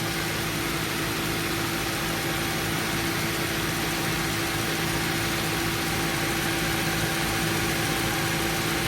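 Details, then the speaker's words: 2015 Subaru Forester after relay fix, Freon being added: engine idles evenly with steady compressor hum, no grinding or rattle; compressor spinning and A/C working normally. "right now it's spinning, so that's a good thing. If it's not spinning and it's not clicking over, check your relay."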